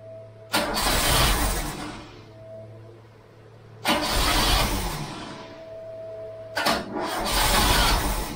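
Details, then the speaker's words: Freshly installed Pinto engine in a MK3 Cortina, first start attempt after lots of petrol was put in; three cranking bursts of a couple of seconds each, engine never fires; crank no start, owner suspects flooding. "it could be flooded because I've been fit because I've been fitting that chunk okay but I put a lot of petrol into there"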